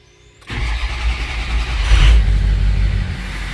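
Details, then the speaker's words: Ford 6.0 Powerstroke with an SCT box tune and a leaking up pipe, started after resetting so the engine can relearn, with glow plugs still on: it catches almost instantly, flares, then settles into an even diesel clatter; it now starts much better. "Oh, it starts so much better now. See, the glow plugs are still on."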